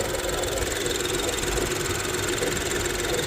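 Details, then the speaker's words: 2023 Nissan Rogue idling evenly and smoothly with a soft hiss and no shudder or thumping, after replacing a leaking transmission mount that caused vibration. Trans and brake fluid services were also done, and there is no more leak or vibration. "That new trans mount that we installed right there is good. No more leaking, no more vibration."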